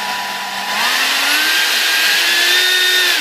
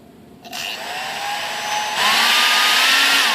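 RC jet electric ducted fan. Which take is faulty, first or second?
second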